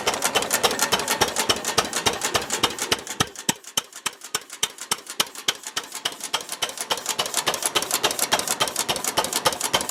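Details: Ruston Hornsby PR, about 1926, horizontal single-cylinder petrol-paraffin stationary engine, on petrol after leaning the rich mixture, apparently first start in 5 or 6 years: crisp, even ticking about three and a half beats a second, clean steady rhythm; normal idle.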